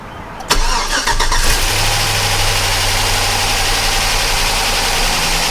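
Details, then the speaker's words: 2005 GMC Sierra 4.8 LS, cold start, gauge shows almost no oil pressure (about 25 psi revved, then falling): steady idle with fast light top-end ticking from noisy lifters, not knocking; failing oil pump. "can hear that the lifters are noisy but if you rev it up a little it will get a little oil pressure it's not knocking"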